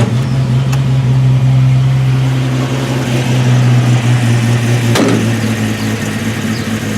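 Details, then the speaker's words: 1989 Jeep YJ idling after a new exhaust system install: steady even low rumble, much quieter than before, with no leaks. Exhaust seems to exit only at the tailpipe; sounds sealed and healthy. "Much quieter. If you remember back at the beginning of the video how noisy this was. So, no leaks up here. Seems to be all coming out of the exhaust back here."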